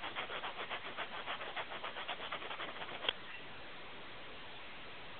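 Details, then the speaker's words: Tape-recorder speaker after its rear nut was unscrewed and refitted, recorded close up on a phone: a scratchy rubbing repeats three to four times a second for about three seconds, then stops. The voice coil is scraping the magnet. "Now, if you can hear the voice coil scraping on the magnet there."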